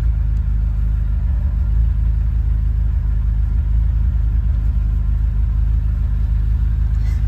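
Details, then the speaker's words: 1980 Ferrari 308 GTSi, recommissioned, in neutral after cold start, warm-up light off, at operating temperature: deep steady V8 burble, even firing, no misses or hunting; normal warm idle. "She hit her temp. Warm-up light is off. And she is now in her perfect idle."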